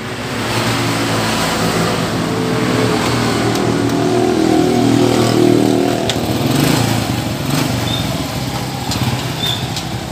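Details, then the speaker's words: Honda Supra 100cc after clutch slip repair, exhaust refitted and oil added, test run: small single runs steady, revs rise and fall cleanly with no slipping or rattling; clutch fine, normal running. "Oke sepertinya bagus tidak ada masalah kopling"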